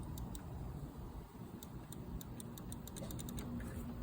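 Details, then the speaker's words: Yamaha 200 OX66 outboard bogging around 2000 rpm, fuel system good: faint light clicks from the neutral safety (cut-off) switch as the shift linkage comes out of forward gear, the switch clicking normally. "So that clicking is supposed to happen when you are coming out of gear. So I'm in forward right now. When I come out of gear, that's when you should have it click."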